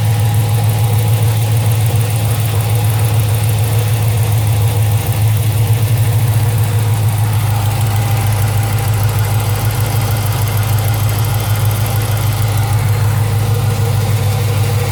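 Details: 2007 Chrysler 300 SRT8 6.1 Hemi with long-tube headers, cold-air intake and catback, also misfiring at high rpm with P0300, oil just changed without metal debris: light quick tick under a steady V8 idle; lifter or exhaust leak suspected; engine ticking at idle.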